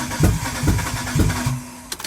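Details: Mitsubishi Delica V6 first start after engine install, cylinder 1 spark plug connected: cranks in uneven bursts, catching briefly but never running; no start, cause not yet known.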